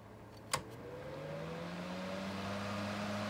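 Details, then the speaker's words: Modern turbo fan switched from low to medium speed: a click, then the motor hum climbs smoothly in pitch to a strong, even whoosh, a big jump in airflow; healthy. "that's a big difference in speed from low to medium so at least this particular one has like an option for like a quiet gentle setting cuz medium is a lot more"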